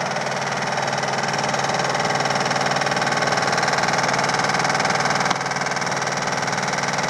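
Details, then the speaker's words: Samsung VTR steam washer on spin cycle, rear cover off: loud steady rattling bang about twice a second as the drum hits, caused by a broken-off small plastic rear drum mount. "nothing but a little mount, plastic mount. There was one here. It came off. It broke. Sounds horrible, and it's just this plastic piece."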